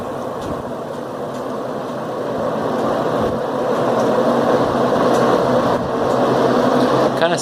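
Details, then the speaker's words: 1978 Lakewood S-223 box fan, reassembled after hub heated and pulled off and cleaned, run low to high: steady whooshing airflow with faint irregular fluttering rustle; something inside the cabinet suspected blowing around, unconfirmed. "like there's something inside the cabinet it's getting blown around"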